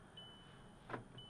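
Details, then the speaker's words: 2006 VW Jetta 2.5L after passenger door lock actuator replacement: a single crisp clunk as all locks throw together, no buzzing or repeat; passenger door now locks and unlocks properly, no fault codes. "Everything is locked. Passenger door was the one that wasn't working sometimes. Everything is unlocked."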